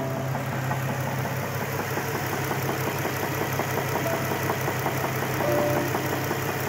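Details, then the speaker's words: 2006 Infiniti G35 sedan at about 125,000 miles, knocking that appeared while driving home: a steady engine note with a light, regular knock underneath that grows worse on the accelerator. Rod knock from a spun bearing. "kind of hear them knocking a little bit stuff on the Gotham accelerator it kind of gets worse"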